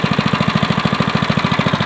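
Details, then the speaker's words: SSR small single-cylinder bike, cold start on choke, one pull, after carburetor cleaning and new air filter: even putt around twelve pops a second, no misses or stumbles; clean, healthy idle. "running nice and clean oh yeah yep that's one bike done for him"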